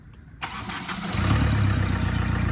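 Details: Flood-hydrolocked Hyundai i20: starter catches and engine fires within a second, settling into a steady even idle; starts and runs normally.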